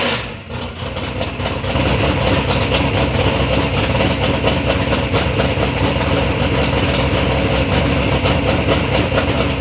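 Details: Third-gen Camaro with big-block Chevy V8, first start-up after years of building: lumpy but even idle, a deep, steady rumble with no ticking or knocking; normal, healthy idle.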